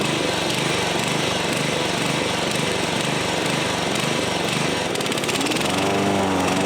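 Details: Old John Deere 14SB push mower, trash find, rope instead of missing recoil, carb only removed and inspected, at half throttle: uneven hunting beat with surging; runs rough, owner thinks the carburetor needs a rebuild.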